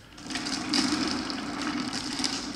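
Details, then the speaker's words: Wooden flat thrust bearing running exact 5/8" steel ball bearings instead of uneven 9/16" glass marbles: steady, even rolling rumble with light hiss, much smoother than the rough, noisy marbles. "you can hear how much more smoothly these turn."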